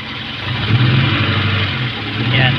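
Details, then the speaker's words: Kia Pride idling with a lumpy, uneven beat as one cylinder drops out; all high-tension leads have spark, a faulty spark plug found as the suspected culprit. "Ah ito Miss firing mga kaibigan Ayan oh yung andar"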